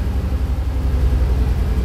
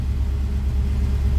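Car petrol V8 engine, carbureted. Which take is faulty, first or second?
first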